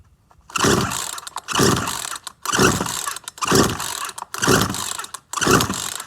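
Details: Certified-refurbished Poulan Pro PR4218 42cc 2-cycle chainsaw with an 18-inch bar. Six rasping pull-cord strokes about a second apart, each dying with no firing; the saw cranks but won't start.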